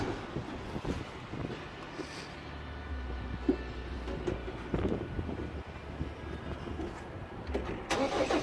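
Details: Long quiet crank with no start on a 1991 Ford Explorer turbo diesel, sitting since July 2016: starter churns with uneven turns and it never fires. Fuel shortage suspected.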